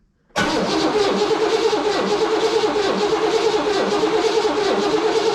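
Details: Oldsmobile wrecked 26 years ago, first crank with the original distributor and carburetor refitted: starter spins the engine steadily with an even churning beat, slightly sluggish, but it never fires; crank no start, no fuel yet.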